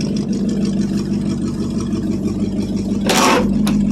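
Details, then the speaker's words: 1973 International 1210 2WD 3/4-ton, 345 V8, automatic, two-barrel carb, cold start after nearly two years idle: uneven idle with rough puffing chuff over a low drone; exhaust leaking, gas escaping on one side. "exhaust ain't real [Music] good still comes out this side kind"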